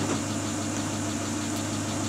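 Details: Great Wall Hover H3 after head gasket replacement for a blown gasket (antifreeze in cylinder 4), warm at 86°C, no errors: even, settled idle hum with no misses, knocks or hunting; idles smoothly.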